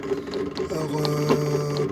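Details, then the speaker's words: 8FUN 36V 250W geared hub motor from a La Poste e-bike, run by controller and throttle: quick irregular clacks inside over the motor hum, several per second, from broken plastic planetary gears. "alors on entend que ça claque a toujours intérieur"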